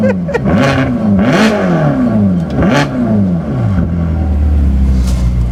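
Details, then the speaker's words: Bentley Continental GTC Supersports, 6-litre bi-turbo W12, already warmed up, started and revved: deep, smooth blips, pitch rising and falling cleanly before settling to a steady idle. Normal startup and revs. "Just start it up. Let's just show them what it sounds like on startup."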